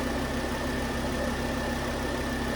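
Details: 2009 Volvo S40 T5 AWD R-Design petrol, flood-damaged rebuild, cranked up after a failed, melted alternator idler pulley was found: quiet, smooth idle with a faint steady whine, no knocks or stumbles; engine sounds healthy.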